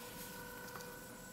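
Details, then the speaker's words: Small DC motor driven by Arduino and L298N module at slow PWM speed, reversing direction every second: faint steady high whine caused by the pulse width modulation, brief click on reversal; running normally. "as you can see every second it Alters Direction now you can hear a little bit of a whine from the motor and that's the pulse width modulation"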